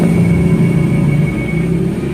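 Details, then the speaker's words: Honda Beat ESP after fixing total no-start by replacing fuse (previous fuse too large) and the ECU: engine starts and settles to steady even idle, no MIL blinking, runs normally. "nah kemudian kita coba hidupkan ya nah ini sudah hidup Ya sudah normal"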